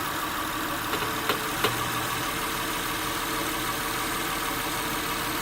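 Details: 2006 Acura TL (3G) idling in Park, steering wheel turned slowly lock to lock: even idle with a handful of sharp clicks, never heard while driving. Caused by an internally binding steering rack; replacing the rack fixed it.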